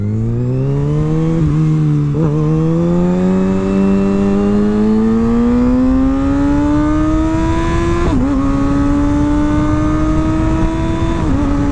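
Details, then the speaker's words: Reference motorcycle (not the 2021 ZX-10R) under full-throttle acceleration through the gears: smooth rising engine note pulling hard, with clean brief dips at each shift and no roughness; normal, smooth acceleration. "that's what it sounds like and there you go just like that just overall a smoother product"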